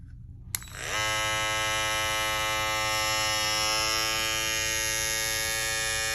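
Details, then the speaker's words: Babyliss FX3 trimmer that had started making a loud noise, after swapping to a graphite FX707B blade: clean steady high buzz, even pitch, no rattle or chatter; much quieter, running normally. "Yeah. Way quieter, man. I just wanted to share this with y'all."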